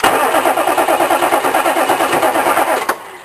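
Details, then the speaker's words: GM K3500 pickup with a 4L80E, sat six months, cold cranked on starting fluid: the cranking chug with clicking carries on after the key is released, the starter staying engaged; owner blames a junk starter. "hands off the starter and it's still cranking click click just before it wants to start that Bloody starter junk starter"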